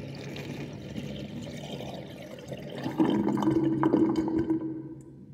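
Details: Sink drain with 45.5 mm plug and triangle ring: water runs off with irregular glugging bubbles, louder as the whirlpool forms; gurgling as air is drawn in.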